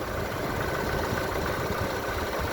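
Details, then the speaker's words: Lada Largus engine at hot idle after changing to thicker oil: steady even beat, much quieter, no lifter ticking; owner notes lifters start clicking again when hotter and plans thicker oil. "есть намного тише компенсатор не стучит Но если нагреется сильнее то компенсатор начинает щёлкать"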